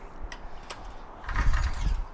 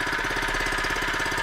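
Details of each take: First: Harbor Freight small engine fitted with an experimental 3D-printed ABS plastic piston, during butyl acetate fuel tests: rope pulls about once a second, each a brief rattly churn that dies straight away. Cranks but will not start; cause suspected, not confirmed. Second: Harbor Freight small single-cylinder engine, freshly set up with oil: fast, even firing beat with steady rhythm; a healthy small engine running smoothly.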